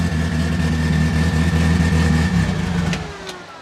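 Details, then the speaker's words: Twin-engine Toyota Starlet, rear engine on a new Haltech ECU before dyno tuning, very loud with exhaust exiting under the car: loud, very lumpy, loping idle at eight inches of vacuum from a big cam, then dies away. "we have eight inches of vacuum at idle and you can tell it's very very lumpy"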